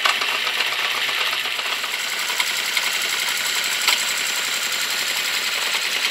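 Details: Honda CB650 Custom at warm idle after a very cold start: fast, light, evenly spaced metallic ticking over a steady idle, with slight backfires. The owner suspects valves on cylinders 3 and 4, or the clutch or cam chain area; unconfirmed.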